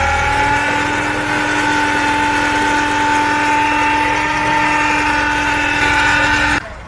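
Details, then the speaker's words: Car engine bay at idle: steady droning hum with a fixed tone on startup, a noise troubling the owner for half a year and attributed to the power steering pump, which is then removed for repair instead of replacement. "车辆打着火的时候，发动机传来嗡嗡嗡的异响声。"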